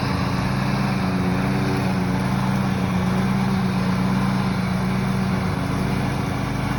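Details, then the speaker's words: Used riding lawn mower's small single-cylinder engine, after old gas was run down and refilled and it warmed up, holds an even, steady drone with no wavering or surging; owner thinks the earlier noise was bad gas or needing warm-up. "I think it was just the gas or it just needed to be warmed up because afterwards it was running fine"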